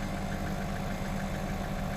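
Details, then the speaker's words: 2008 Citroen C4 Picasso diesel with rear air suspension faults (C1621, C1196, C118C) that had left the car low at the rear: the compressor gives a steady, even low hum without strain while raising the car. "so it's raising now so the compressor is running I can hear the compressor running"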